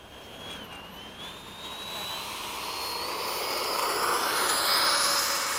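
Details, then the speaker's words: Freewing 90mm F-104 ducted fan spooling up before taxi, now with lowered timing: smooth high whine climbing steadily in pitch, grinding no longer heard; running cleanly. "know what it sounds better since you lowered the timing you don't hear that and that grinding so much"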